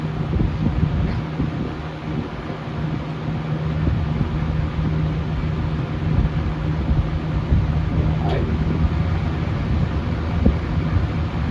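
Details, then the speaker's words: Early-1970s Lakewood Windsor C-14 box fan, about 50 years old, running on low then medium; steady low whooshing hum and constant drone, no rattle, tick or scrape; sounds perfectly fine; normal running. "So right now it sounds like it's running perfectly fine."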